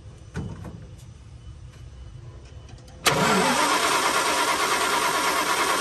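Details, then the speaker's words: 1975 Dodge D200 crew cab, 360 small block, four-speed, long sitting, fuel poured into carb bowl: starter churns about three turns a second, never fires; cranks with no spark, owner suspects faulty ignition switch. "No spark again. So definitely something wrong with that ignition switch."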